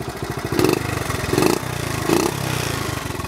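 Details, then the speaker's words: 1970 Honda Trail 70 with automatic clutch, back to running on stabilized fuel: small single-cylinder putter, three quick throttle blips settling cleanly to idle; healthy. "sound brings back memories no issues just a fun little ride"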